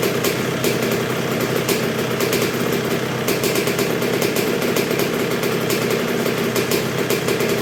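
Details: 1986 Honda CR125R two-stroke, not yet fully broken in after a new .060-over Wiseco piston top end: low, even idle ticking over steadily without stumbling or dying; healthy normal idle.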